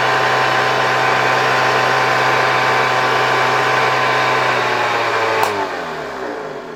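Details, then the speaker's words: 1972 Hoover 1346A vacuum cleaner, reassembled: loud, steady motor roar with a whining rotor, winding down after switch-off. The owner suspects the motor lightly hits the housing at its mount. Otherwise it works well, and the cause is unconfirmed. "głośno , wirnik tutaj pracuje bardzo głośno . No cóż, nie możemy nic z tym zrobić."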